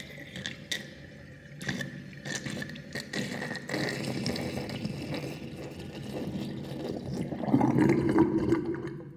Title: Interesting drain with new sinkplug 45.5 mm with plastic ring and whirlpool and gurgling sound